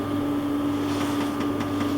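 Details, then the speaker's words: Quantronix Excel Dual Pulse 2000 holmium laser with covers back on, at 0.5 W and 5 Hz. Crisp clicks about five a second over an electrical hum. Normal flash lamp pulsing. "Now you can hear the flashlight pulsing. So now I should be good to go."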